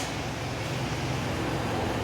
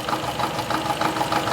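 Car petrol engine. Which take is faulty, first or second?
second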